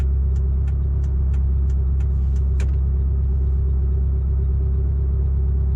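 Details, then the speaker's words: Mitsubishi Lancer EVO 5 stopped with aircon off: steady deep idle with light fast ticking for the first few seconds, then fading; noisy hydraulic lifters. "I can hear the noisy lifters, so you might be able to hear it through the camera."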